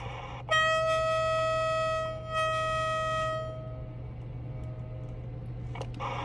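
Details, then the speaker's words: Feedback squeal from a Workman BB3 echo board (Connex board with talkback) in a Uniden PC78LTX CB radio with the gain set too high; a loud steady shrill squeal holds about three seconds, then fades as the adjustment knob is turned clockwise. "You hear the squealing go away as I turned it clockwise."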